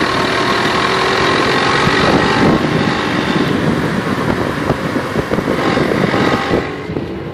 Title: Jetta vr6 strange knocking sound